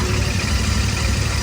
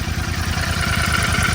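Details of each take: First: 2024 Royal Enfield Continental GT650 twin, a new bike started for comparison with one showing tappet ticking after first service; steady low, even idle rumble with no ticking or tapping; normal idle. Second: 2024 Royal Enfield Continental GT650 twin, past its first service, idling with a light, steady tak-tak tick from the head in time with the engine; tappet noise from loose valve clearance, owner fears engine damage.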